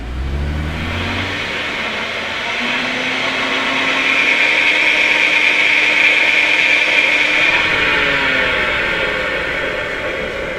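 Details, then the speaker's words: Audi A6 Quattro above 30 mph: loud high whine from the rear with vibration at higher speeds, from a rear differential run low on fluid after leaking. "customer contacted us stating he had a noise in the rear end of the car and a vibration at higher speeds and it sounds like this"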